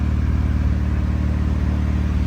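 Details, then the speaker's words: Honda Civic EG hatch after an engine swap with new oil pan and gasket, no exhaust, warming up before the thermostat opens: steady, even low idle with a smooth regular pulse and no knocks or ticks. Normal idle. "Sounds good with no exhaust fan, no gas. I know. It sounds pretty good. It just needs needs a few things, but mainly it's running."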